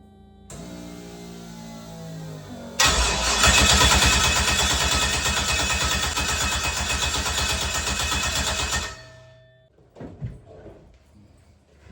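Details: LS-swapped Mazda RX-7 after setting transmission DTCs to no error in the ECM, with many sensors such as the O2 sensors not connected: starter cranks steadily, about three beats per second for six seconds, never catches. Injectors suspected not firing, no fuel; unconfirmed.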